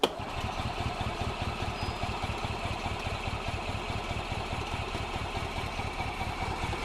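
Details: 2005 Club Car Precedent gas golf cart, crank/intermittent start, runs only on full choke; after tank cleaning and fresh gas, engine chugs unevenly at about two beats a second, starving for fuel. Owner suspects degraded fuel pump diaphragm; hard starting.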